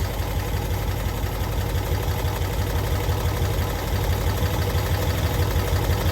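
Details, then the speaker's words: 1992-ish Cushman Truckster from a field, no oil gauge fitted: small single engine ticks over at a low, even beat with no misses or knocks; smooth, normal idle. "I can't believe that thing just sits there and idles."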